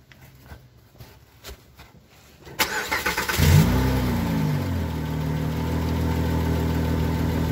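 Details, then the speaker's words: Car with resonator deleted, small exhaust pipe leak temporarily patched with JB Weld, started after about 300 miles: short crank, then smooth steady idle, still loud but no ticking, puffing or rustling from the leak. "seems like the rustly sound is pretty much gone and so it served its purpose for the for a short-term fix"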